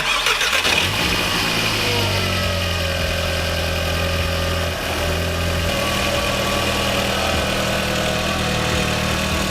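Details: VW Mk4 1.8T after replacing the injector cups, thermostat and broken hoses, with coolant being bled. Quick crank, clean catch, then a settled, even idle with no misfire, knocks or hunting: running healthy.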